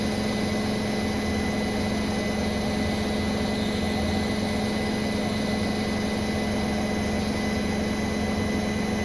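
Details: Brand-new Bosch Serie 4 WAN28281GB washing machine, balanced final spin, seal clear of drum: constant high-speed hum with thin steady squeal; owner wonders about bearings or EcoSilence drive belt, earlier suspected suspension, cause unknown.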